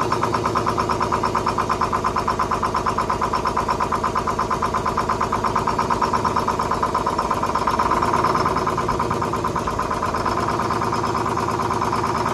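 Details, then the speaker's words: 1970s Crane Carrier 10-wheel-drive truck with a Detroit 6-71 two-stroke diesel, four stuck injectors and rack freed, started without ether: a steady, fast, even clatter at constant speed with no misses; running healthy, coolant line leaking. "all right folks we're gonna give her a whirl here and see if she'll teach I don't have any ether so we're just gonna see if it'll pull some fuel"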